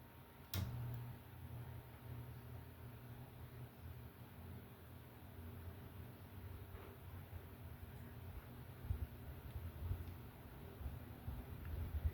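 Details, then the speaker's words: 52-inch Hunter Passport ceiling fan with a 4-light kit, light off, starting from a stop. A quiet, steady low hum with a faint fixed tone as the motor spins up; the somewhat loud startup hum is normal motor noise. "Alright, so you'll hear what I've been hearing. You'll hear the kind of loud hum when it first starts."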